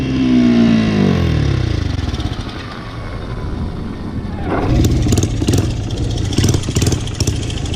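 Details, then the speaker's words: Single-cylinder motorcycle after exhaust repair, old exhaust gasket removed for better seal, choke lowered one step: blips up then settles to steady even idle, no puffing or ticking at pipe; leak fixed, running healthy. "She's not leaking anymore. Sounds pretty good. Let me take the choke down one. Alright, she's doing good, boys."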